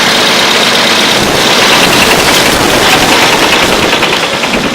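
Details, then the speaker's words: Idling engine with rapid sharp knocking, about three raps a second, from a failed connecting rod bearing; the rod knock is getting worse. "Hear it? Hear that? Literally a knocking sound."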